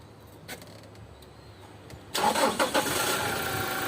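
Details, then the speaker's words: 2016 Toyota Hilux after replacing the failed alternator bearing, whose seal had disintegrated, and the worn pulley: engine catches after a brief crank and idles steadily with no bearing whine or rumble; normal start and idle. "Então foi trocado esse rolamento e essa polia, né? A gente achou que era só a polia, mas o maior defeito era o rolamento, mas a polia também está começando a dar defeito. Quem viu o primeiro vídeo vai ver a diferença agora do motor."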